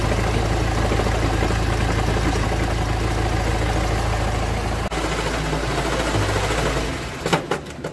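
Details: Honda Civic 2.2 i-CTDI diesel at idle: low, uneven rattling knock about three times a second from the damaged dual-mass flywheel.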